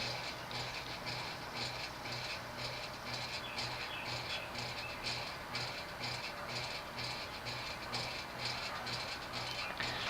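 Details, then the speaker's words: Late-1970s Union 36-inch Model C Lamp industrial ceiling fan, thick cast-iron pointed motor, run on a solid-state control: dry rhythmic buzzing rattle about twice a second; worn bearings let the stator sit off-centre around the rotor, causing magnetic buzz; fix is bearing replacement. "Because the reason the fans make the sound is because if there's any kind of wear, the rotor will not be perfectly centered. Or, no, the stator will not be perfectly centered around the rotor, or vice versa, and you'll get magnetic flux, which will give you that loud buzz."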